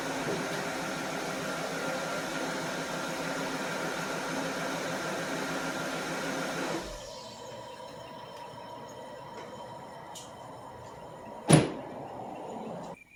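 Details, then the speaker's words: Rebuilt VW Phaeton W12 first start after reassembly and coolant fill: smooth even engine hum about seven seconds, no ticking, squeal or knock; belt and pulleys quiet, earlier tick gone. "the belt looked good the pulleys everything looked good it was nice and quiet i didn't hear anything from there"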